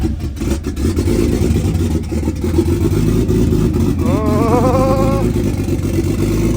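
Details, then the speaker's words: Nissan R33 Skyline GTS-T RB25DET after repair of rotary-like sound (bolts checked, reassembled): smooth even six-cylinder note climbing cleanly with throttle, no lumpy rotary-like stutter; now sounds as it should. "We completed it. That's how a Skyline sounds. Supposed to sound anyway."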